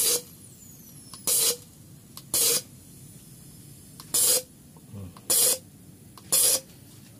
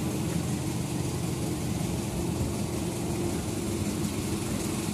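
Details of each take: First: Nissan MR18 engine with misfire, number one petrol injector tested after cleaning: seven short, sharp hissing spray bursts at uneven intervals; valve sticks and intermittently misses, to be cleaned again or replaced. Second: Nissan MR18 engine after fixing a misfire, with suspect contaminated fuel: steady, even idle with no stumble, RPM holding constant; misfire gone, normal idle.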